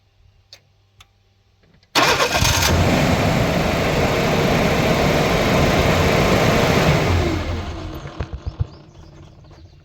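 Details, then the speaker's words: 1990 Ford Ranger 4x4, 2.9 L V6, automatic with bypassed neutral safety switch, microphone outside at start: harsh busy roar as it cranks and catches, then settles; odd noise on start, cause unclear. "you can hear it a little bit when it starts sounds like yeah I don't know but you can listen"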